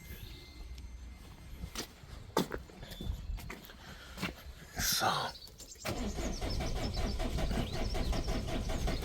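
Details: Peugeot/Citroën 1.6 HDi (BHY) with codes P2669 and P2670, battery previously flat: scattered clicks then steady rhythmic starter churning, diesel never catches; suspected internal fault in electronic thermostat housing, not confirmed; crank no start.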